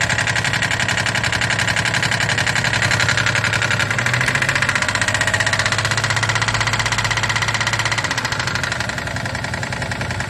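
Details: 2008 Daihatsu Move L175, naturally aspirated KF engine, 4-speed automatic, 180,000 km, heavy oil consumption (1 L per 1,000 km); lost power on the highway. Rapid light metallic tapping over idle; engine opened, very large piston pin play in cylinder 2: piston pin knock.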